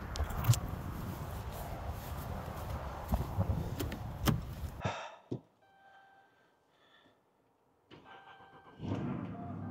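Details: 2011 Chrysler 300C 5.7L Hemi with a no-crank, no-click no-start, battery on a trickle charger. After the top starter relay is swapped, it runs, is shut off, then cranks and catches cleanly. It now starts normally.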